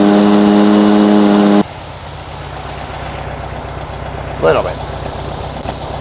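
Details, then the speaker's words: 1957 VW Beetle, warm and off choke after a minor tune, idle screw bumped down from around 1140 rpm; after a brief noise it settles into a steady, even idle with a smooth low putter, no hunting; normal idle. "That's much better. All right, watch that tack now that I can't see. We're holding steady idle."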